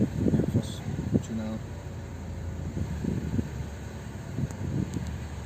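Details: 2003 Saab 9-3 B207 petrol engine idling roughly, the rumble swelling and dipping with the A/C switched on; idle is fine with the A/C off, and the cause is unknown.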